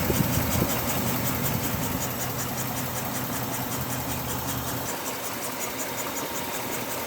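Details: 1969 Ford Bronco Sport half cab, fully restored, idling warm after about 20 minutes of running on a 28° day; the temperature gun reads about 205–207°, likely a 205° thermostat. Steady, even idle with a smooth low rumble and no knocks or misses, as it should.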